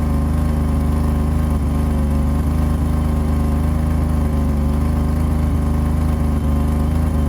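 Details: 1985 BMW 535i E28 M30 engine, cold at 19°F after sitting for months, revving with a fast raspy ticking on the exhaust note from a pre-existing exhaust leak where the headers meet the catalytic converter.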